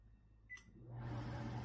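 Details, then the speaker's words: Microwave/range-hood combo after tightening loose screws causing resonance in the hood fan section; keypad beep, then smooth steady low hum with no rattle or buzzing panels. "声音非常好，是不是啊？这里我们可以接受了。"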